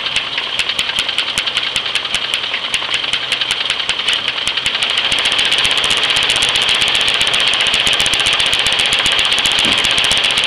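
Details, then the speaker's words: 1978 Chevy Nova 250 straight-six, restarted two hours after its last run: at idle a sharp, regular knock sounds about two or three times a second and quickens with revs. The owner hopes it is top-end. "My biggest concern is the knocking in the engine though."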